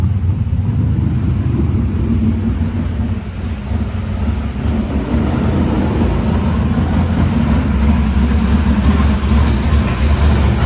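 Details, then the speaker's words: Cold squarebody Chevy truck that also has a battery ground issue. It idles with a deep, fairly steady rumble with mild unevenness and nothing knocking; the engine itself sounds good. "You know, as much issues as this thing causes us, it still sounds good. Sounds good."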